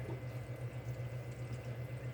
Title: Secondary drain gurgling and burping air